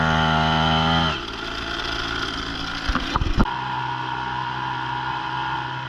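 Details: Brand-new Hangkai 3.5 HP two-stroke outboard, just started after priming: steady buzz, a few clunks midway, then settling into an even idle in neutral; normal running.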